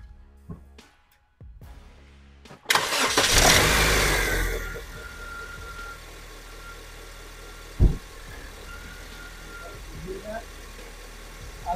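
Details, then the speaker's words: 2010 Honda Civic 8th gen 1.8L after replacing the squealing belt tensioner bearing, with the mic placed near the engine: a short crank, then a steady, quiet idle with no belt squeal; normal idle. "don't hear that noise anymore this a lot better quieter"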